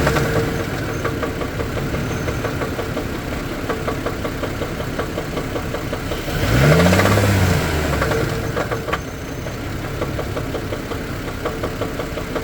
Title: engine knock 4/12/24